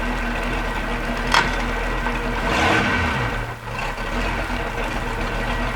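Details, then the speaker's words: Sunesta sterndrive at idle after a shift adjustment made it easier to pull out of gear: steady idle with one brief, barely noticeable dip at the shift as the shift interrupt (stutter) switch cuts out; working normally. "And you can hear the stutter switch just cut it out for a second. Go ahead. It's working about like it should. You can barely tell it kicked it out."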